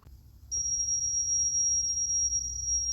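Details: Sony K611S cassette deck playing a test tape: steady high test tone sits flat, near 5.6 kHz instead of 6.3 kHz; tape running slow, motor speed needs adjusting.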